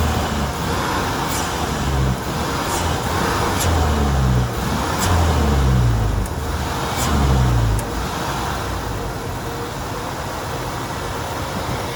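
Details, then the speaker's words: 1994 Ford F-250 4.9L inline-six 5-speed work truck, foot to the floor in gear: low engine note surges and sags without picking up revs, bogging and nearly dying; cap, plugs, rotor, MAP and IAC already replaced; later solved with PCM and fuel pump. "So yeah, that was foot to the floor. I mean, it didn't want to do anything."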